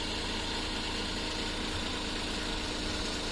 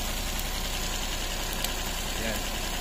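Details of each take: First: Suzuki DA64 minivan (K6A engine) after replacing a faulty ignition coil pack: the idle is now even and no longer shaky, with no misfire, though RPM is still high. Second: Suzuki DA64 minivan, K6A engine, with low power, running a lumpy idle with irregular knocking pulses two or three a second; pulling each coil points to one faulty ignition coil pack causing the misfire.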